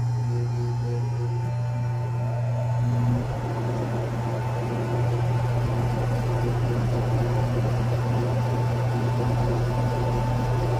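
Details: Loud abnormal hum from a Carrier Comfort Series 3-ton heat pump, model 25SCA536, brand new in October 2023: a steady low drone with a fainter higher tone, louder than normal.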